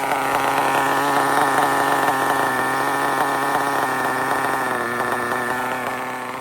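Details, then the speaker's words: RB sealed-back-plate C nitro engine in an RC drag car, running on the stock carburetor setting without tuning, holds a high, buzzy, fairly steady pitch that sags slightly at the end; it is a little lean down low. "I don't know RB check it out it's a little lean down low you crank it one more"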